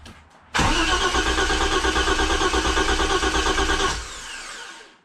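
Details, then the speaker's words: BMW E30 325is that sat neglected in the woods for years, revival attempt: starter cranks engine at a steady even chug, about three beats a second, never catches; crank no start while testing fuel pump relay pulse, 12 V dropping during cranking; main relay suspected. "So that doesn't seem like a pulse. I'm losing the 12 volts because the starter's turning."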